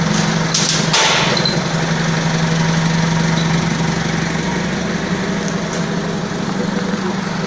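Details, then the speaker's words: Balkancar forklift loader after overhaul of the diesel engine, clutch, brakes and running gear: steady even diesel idle with a firm low hum and no knocks or misses; engine sounds healthy. "Ну так живой, да, состояние? Я смотрю, вроде свеженький погрузчик."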